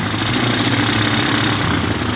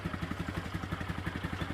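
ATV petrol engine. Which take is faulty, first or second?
first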